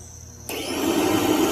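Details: Pontiac Fiero GT heater blower motor, cleaned of a mouse nest and powered by a jumped battery: spins up instantly to a steady, fairly high, even whirring hum with no rattle or scrape. Blower works fine.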